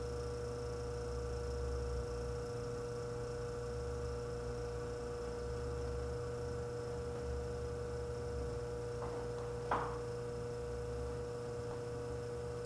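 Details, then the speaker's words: Frigidaire 5400426 antique fridge compressor starting after a test refrigerant charge via a new service port, with fresh wiring: smooth, even low hum, no knocks; current high at start (about 3.2 A) and falling toward the roughly 2.2 A allowed. Normal compressor hum. "Current's a little bit high, but it's running. Going down, that's good. I think it's allowed something like 2.2 amps."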